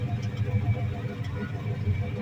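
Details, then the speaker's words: 1989 Chevrolet C1500 Silverado (GMT400) work truck at idle: an even low rumble with a steady pulse and no knocking or misses. Sounds healthy, though the owner notes a small rattle of unknown cause. "it sounds pretty healthy it's a little rattle I don't know what that is yet I'll figure it out"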